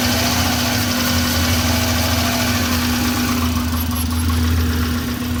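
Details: 2001 Subaru Impreza L 2.2L flat-four, manual, 155k miles, idling with an uneven, lumpy low pulse over a steady hum: cylinders 1 and 3 misfire despite new plugs, wires, coil pack and fuel filter and a cleaned MAP sensor.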